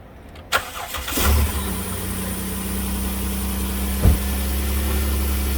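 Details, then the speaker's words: 2008 Dodge Caravan 3.8 L after overheating and replacing a broken coolant hose connector, refilled with coolant, heat on: a quick crank catches cleanly and settles into a steady, even low idle with no misses; normal start, no white smoke. "all right so now i'm going to start it up and turn the heat on everything else and pray i don't see big plumes of white smoke at the tail plate"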